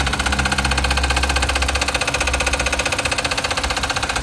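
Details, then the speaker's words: 2017 Volkswagen Vento at idle, timing chain cover to be opened: steady idle with a regular rattling pulse nearly four per second; mechanics suspect timing chain tensioner, to be replaced, not confirmed. "Vento 2017 hace unos ruidos muy extraños ahorita les vamos a poner el ruido para que vean pensamos que es el tensor de la cadena de tiempo se lo vamos a cambiar y a ver si queda"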